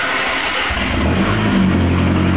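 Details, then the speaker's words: Lancia Delta started from its instrument panel after battery isolator on and start lockout released: brief starter churn, then the engine catches within a second and runs evenly. A clean, normal start. "Štartovanie odblokujem, môžem štartovať. Naštartujem,"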